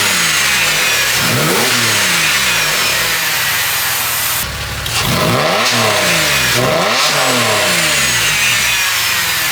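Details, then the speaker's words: Porsche 996 after a Spyder Performance valved sports exhaust retrofit replaced a silencer-delete system, warmed up after a cold start, valves open: clean rising and falling revs, louder with the valves open; healthy engine, normal revving. "wow that sounds absolutely fantastic when they're open it sounds better than it did when it was just straight through pipe now"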